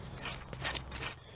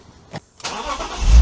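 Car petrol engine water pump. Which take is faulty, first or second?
first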